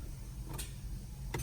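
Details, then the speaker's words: 2015 Honda CR-V, 60k miles, with a new battery: two sharp single clicks with no cranking; bad starter, to be replaced. "You can hear it clicks, but it doesn't start. So I'm gonna change out the starter first and see what happens."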